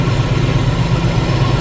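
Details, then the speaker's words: 1990 Jeep YJ 4.2L 5-speed, key in run after pumping the accelerator: steady low, even idle with no misses or knocks, engine holding running on its own, so the no-start is narrowed to the ignition switch itself. "that narrows it down to the ignition switch itself, because that's running."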